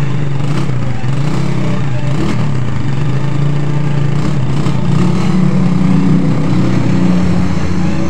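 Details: Suzuki Satria FU after repairing a flooding carburettor by lapping the float needle seat with a matchstick and grinding compound: low, steady drone with an even beat and no stumbling or misfire over eight seconds. Runs normally.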